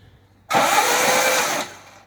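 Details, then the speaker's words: Vauxhall Firenza HPF Lotus conversion before first start, spark plugs out and ignition disconnected, cranking to build oil pressure and push oil through, CRC spraying from plug holes: about a second of fast airy cranking, no firing; engine cranking with plugs out. "i'm just going to crank it over got the spark plugs out quality is disconnected um so what we do is cranking it just to try and build oil pressure or get the oil right through the system"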